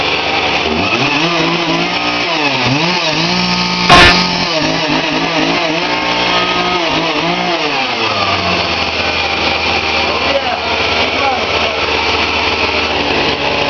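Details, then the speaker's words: Lumberjack chainsaw running after carburetor taken apart and cleaned without rebuild kit: blips up and falls back cleanly several times, then settles to an even idle; crisp, healthy running. "Yeah, she's running like a champion. And we actually didn't even use the kit."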